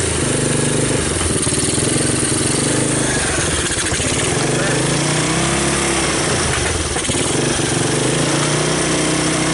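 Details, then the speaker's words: 1986 Honda TRX200SX Fourtrax ATV, abandoned in bushes and unstarted for years, first start on choke with key switch bypassed: the small single settles into a steady busy run with no knocks or misses; normal running. "well I'm pleased so it starts and the wheels turned"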